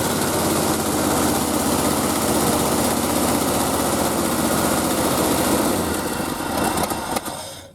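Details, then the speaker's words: Early-1970s Ford F-350, sat about 7 years, first start on added fuel with old oil: loud, ragged clatter that never settles into an even beat, then drops away; firing but running rough, seeming like it might idle. "Oh, it actually sounds like it might idle."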